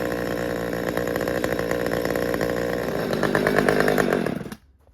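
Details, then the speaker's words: Husqvarna T540xp Mark III chainsaw, about 6 months old, with performance work done: idle rises and hunts in uneven pulses, then falls away and the engine dies; the stall is repeatable. "let it idle for a minute and see if it, you can hear it wants to come up and idle. I don't think we're done yet."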